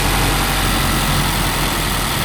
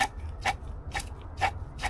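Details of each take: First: 2018 Mazda CX-5 at idle right after replacing the old water pump: smooth, steady low idle with an even hum, much quieter than before, no rattle or grinding; normal idle. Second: 2018 Mazda CX-5 old water pump turned by hand before replacement: rough gritty grind with a rasp about twice a second, far louder than the quiet new pump; worn water pump bearing.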